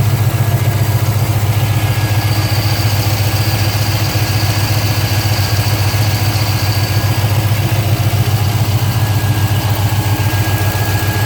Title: 05 GTO Lifter tick or exhaust leak?